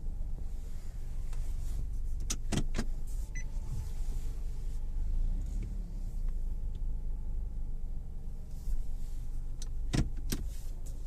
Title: clunk pop sound when steering nissan rogue 2019